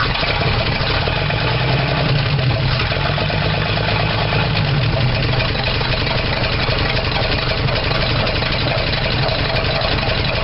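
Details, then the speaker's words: 1975 Dodge D100 Slant 6, open exhaust, misfiring while timing is advanced: loud uneven chuffing idle with occasional pops; owner suspects a burned valve or leak sucking air, and distributor one tooth off. Rough idle with popping. "it may have a valve burned out of it because it's popping somewhere and i'm not sure where"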